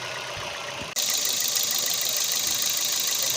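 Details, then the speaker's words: Toyota NZE with P0300 misfire, after replacing the faulty ignition coil: steady, even idle with constant hiss on top, no stumbles or shaking; normal idle. "So let me start the vehicle. See, the engine is smooth. See, it's okay."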